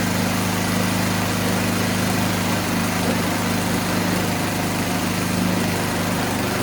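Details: Toro Power Shift 624 snowblower after new drive and auger belts were installed, belts possibly needing slight adjustment: steady, even small-engine run with a smooth low hum, no slipping squeal or knocking; runs normally.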